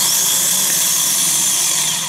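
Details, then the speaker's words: Fourth-generation Nissan Maxima, new replacement starter bench-tested on jumper after old one gave slow, grinding crank: steady smooth high-pitched whir with no grinding or catching, spinning freely and healthy. "so let me hit this and it's much smoother okay i'm not hearing that kind of grinding noise"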